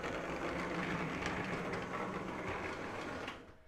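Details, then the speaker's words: Lionel U36C O gauge diesel locomotive motor, run in reverse: harsh gritty gear buzz while whirring, then cutting off; the gears appear dry and need lubrication. "So this engine sounds like it just needs to be lubricated. And underneath, I'll show you guys in a second, the gears to appear to be dry."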